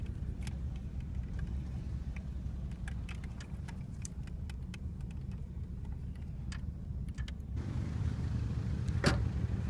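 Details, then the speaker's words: 1985 Oldsmobile Delta 88, 307ci V8, idling on its own: very rough, uneven loping idle with sputtering misses and faint hiss; owner hears a vacuum leak, suspects a dead cylinder; car ran badly from a bad EGR gasket. "so oddly enough it's idling on its own it's very rough"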